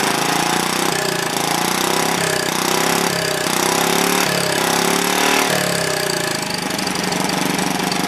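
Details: Old, worn Clinton B700-series single-cylinder engine (model B704, possibly ex-rototiller), choke on, putters fairly evenly with speed wavering slightly now and then; runs cleanly with the carburetor doing its job, a tad smoky.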